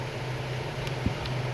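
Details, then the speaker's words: Chevrolet Gentra after an overheating repair with a new water pump: the radiator fan cuts in on first speed at 96 °C at idle without throttle, giving a steady low drone with no rattles, and coolant temperature drops 2 degrees. Normal operation, problem solved. "Ventilyator o'zi 2 gradus qaytyapti. Xudo xolasa Gentramizni muammosini hal qildik."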